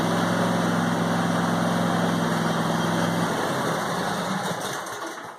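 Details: New John Deere E180 25 hp lawn tractor, first start, 0.1 hours, fresh fuel. Single-cylinder engine idles evenly with a steady low drone, then winds down at shutoff; fired right up, runs fine.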